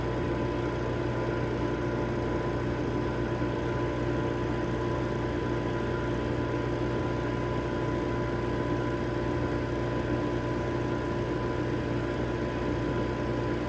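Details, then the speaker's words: Vacuum Atmospheres Nexus glove box: with the pressure band set to ±1.5, positive pressure is added until it reaches the 1.5 limit and the vacuum pump turns on. It gives a constant, smooth motor hum with a low steady drone, no rattles or surging: vacuum pump running normally. "Now you can hear a vacuum pump turning on. It won't allow you to go above that."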